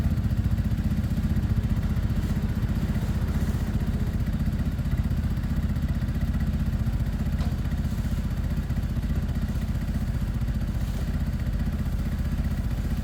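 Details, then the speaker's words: Sinnis fuel-injected motorcycle, warming up after a week sitting: steady low putter about three beats a second, quiet, no knocks or misses; normal idle. "look how smooth these bikes are. No issues at all. You can barely hear this one on, look. It actually is on."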